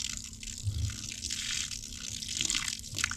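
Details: Off-grid gravity-feed water line after ice is pushed out following winter: steady hiss of water running freely from the faucet with a few splashy surges; flow is back to normal.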